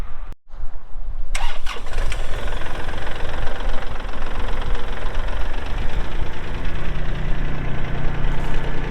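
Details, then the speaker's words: 2022 Kubota L3901 4WD hydro tractor diesel, 219 hours: short crank, catches right away and settles into an even, steady idle with no knocks or misses; a healthy start. "Cranks up, runs good."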